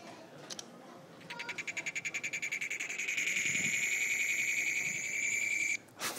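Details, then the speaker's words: iPhone 3GS on iOS 4.0, not jailbroken, no apps running, making high rapid chirping pulses that blur into a steady squeal then stop abruptly when the phone is locked. "the thing is when I lock the phone it's pretty weird sounds like something like"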